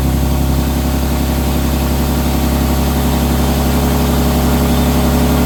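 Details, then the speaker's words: Infiniti G37x AWD with good battery and good voltage at the starter: sluggish, labored cranking about four beats a second, sometimes not starting, before starter replacement; slow cranking from a weak starter motor. "They're both the same, and it's just cranking really slow, like slow. And sometimes it won't even start."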